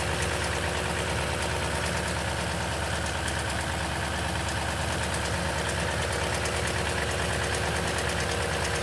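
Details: 2010 Toyota Tundra at 165k miles, oil changed every 5,500 miles throughout its life, cold start idle: low rumble with faint, loose rattling ticks up top, suspected timing chain noise, source unconfirmed.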